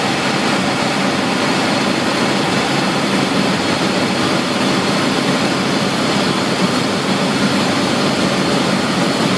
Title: ACCUSIM: Cavitation in a pump at best efficiency point